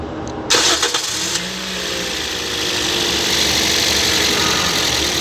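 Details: 2016 Toyota Yaris, strange noise first thought to be the VVT-i gear but suspected to be the alternator: short crank, then it catches and settles into an even idle under steady hiss; seems healthy now.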